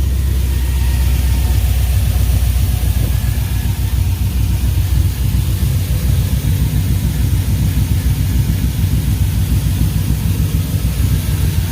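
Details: 1995 Chevy 1500 swapped from a 4.3 V6 to an LS 5.3 V8, first start after knock sensor replacement, with no leaks. Deep, steady low rumble with even firing pulses and no ticks or knocks; it idles smoothly and sounds healthy.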